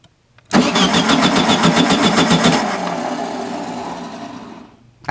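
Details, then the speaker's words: 1974/75 VW Super Beetle after new Pertronix electronic ignition install, plug wires reset, timing not yet set: starter cranks at an even rhythm, engine tries to catch then dies; hard start, starter sounds unhealthy, owner suspects vacuum leak from removed airbox. "starter man doesn't sound healthy what is going on"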